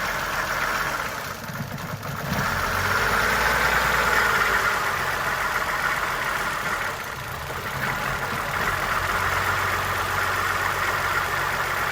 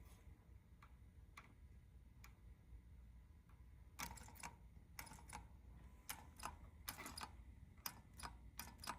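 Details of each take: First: Suzuki Verona with the EGR solenoid driver wire grounded to force the EGR valve open: the idle lopes and dips every few seconds as if about to stall. This rough idle and stumble is from excess exhaust gas recirculation. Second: Suzuki Verona EGR valve solenoid (measured about 8.5 ohms, in the 8–10 ohm spec) gives sharp dry clicks, single and in quick clusters, each time its driver wire is grounded; the EGR solenoid is switching properly.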